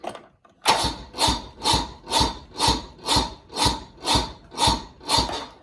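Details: 1986 Bass Tracker boat outboard, AGM Interstate battery, burnt wires smoking: slow labored cranking about two strokes a second without catching; owner doubts battery, suspects burnt wiring, possibly weak battery.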